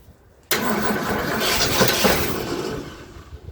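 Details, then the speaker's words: 1977 Ford F-250 Dentside 4WD pickup, revived after sitting 15+ years, cranked on starting fluid: catches with a rough roar for about two seconds, then fades out and won't keep running. It is fuel-starved, and a ticking or knocking was already suspected. "all right I'm gonna put a little starting fluid in let's see well she definitely wants to try let's give her another squirt"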